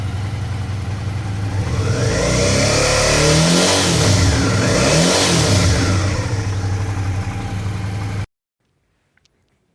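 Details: Suzuki V-Strom 650 twin revving to about 5000 rpm after fix, clean even note with no metallic rattle; the rattle was a loose footpeg assembly vibrating at 5000 rpm, not the engine.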